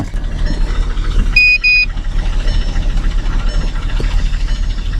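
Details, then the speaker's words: Kia Sedona bought cheap at auction, petrol engine idling with an uneven, lumpy pulse and a brief chime; engine light flashing, cylinder 3 misfire. "On a un raté d'allumage sur le cylindre trois, ce qui n'est pas très grave, et je vais vous montrer le bruit que fait la voiture maintenant."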